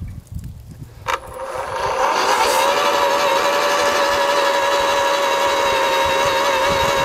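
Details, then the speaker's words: AEG (Ridgid) 2x18V battery post hole borer/earth auger digging: steady high motor whine with no bite or cutting rhythm, just a dull scrape; grass matted around the blade teeth stops it cutting. "too much stuff stuck around the blades just simple stuff like grass mats up on the teeth there stops from cutting there's the there's the culprit there"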